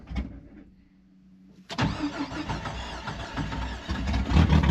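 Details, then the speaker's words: Jeep XJ with AW4 transmission and 40 psi oil pressure quits running, then cranks steadily at about three turns a second without catching; owner suspects it is out of gas or that hydraulic lifters are holding the valves open. Crank, no start. "It's out of gas. I think the hydraulic lifters are pumping up and holding the valves open."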